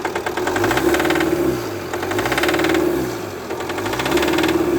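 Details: Jeep Compass 2.0 diesel engine: hard, rapid metallic knock like pinking from startup, sharpening on revving, engine shaking at idle; cause is a diesel injector.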